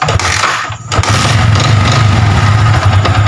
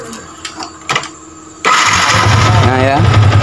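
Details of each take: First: Yamaha Vixion fuel-injected motorcycle, battery dropping below about 10 V at key-on: sluggish labouring crank before catching into lumpy idle; battery judged weak/worn out, charging being checked, battery replaced. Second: Yamaha Vixion fuel-injected motorcycle with a weak, worn battery (voltage must stay above 10 V while cranking): a short crank, then the engine catches cleanly and settles into a steady run.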